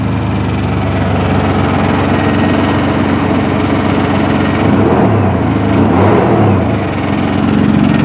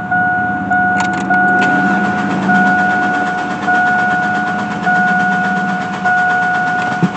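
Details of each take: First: Chevy Blazer ZR2 idling steadily and evenly with no misses after fuel pump repair (tank dropped, cheap fuel pump checked) following about a year stranded with no fuel reaching the engine; normal idle. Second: Chevy Blazer ZR2 cranks steadily and never catches over a faint fuel pump hum after the relay was installed; the pump runs but no fuel reaches the engine, only air; owner suspects the cheap fuel pump.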